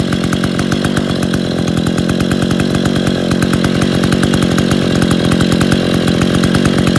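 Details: Rebuilt Stihl 070 two-stroke chainsaw on its first run after bottom-end reassembly (new seal, axial play corrected; no choke, cover or bar, clutch unfinished) holds a loud, fast, even buzz without stumbling or misfire: normal running.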